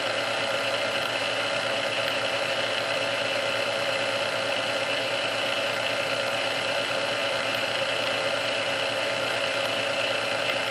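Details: Restored Sunbeam Mixmaster Model 12 that had been quickly overheating its rebuilt speed resistor, after swapping all internal parts: even, steady whir on first (low) speed for about 2 minutes with no surging, catching or labouring; original cause unknown.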